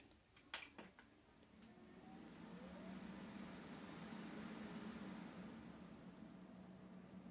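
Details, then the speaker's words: Corsair H110i GT radiator after its noisy, clicky, rattling stock fans were replaced with Noctua NF-A14 iPPC 2000 RPM PWM fans: a few clicks at power-on, then a soft airy rush that swells and settles with no rattle. Normal fan operation. "that's a significant improvement could you even hear that it sounded like a breeze just going by and then it all just settles straight down much better"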